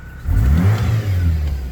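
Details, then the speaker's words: GMC Sonoma pickup at 209,000 miles revving after a $34 part fixed the noise: clean, deep rev that rises and settles smoothly with no squeal, chirp or rattle from the belt drive; healthy engine. "I think other than that I think we're good listen to this thing's 209 000 miles Lord have mercy"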